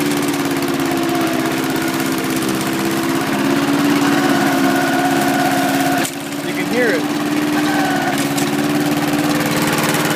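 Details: John Deere Power Drive 21-inch self-propelled mower with a Briggs engine of about 3.5 or 4 hp and blade brake removed: steady even drone with smooth firing rhythm, no misses or knocks; running healthy.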